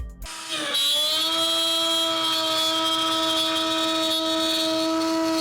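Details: Shapeoko Pro CNC router during a feed-and-speed stress test: steady, clean spindle whine at an even pitch as the bit cuts through smoothly without chatter, running healthy.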